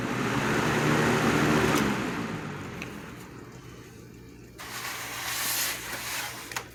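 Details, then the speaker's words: 1987 Patton CA-1284 12" rotary box fan starting up on medium after being oiled with Singer sewing machine oil. It comes up to speed and settles into a smooth whoosh without grinding or clicking; it is working properly. "okay awesome looks like this came in full circle after all everything is working properly this fan is right where it belongs"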